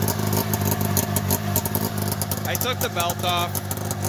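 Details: 1990 Polaris Indy 500 snowmobile, stored outside since 2005, carbs cleaned, new plugs, fresh gas, starting fluid, holed header pipe: raspy two-stroke buzz catches on first pull and blips cleanly with the throttle without misses, normal start and revving.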